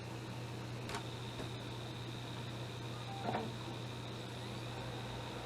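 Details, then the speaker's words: Xbox One S after fan replacement, reassembled and test-fired: steady smooth low hum with faint even whir, no rattle or scraping; fan now running normally, far quieter than the noisy original. "That sounds way better."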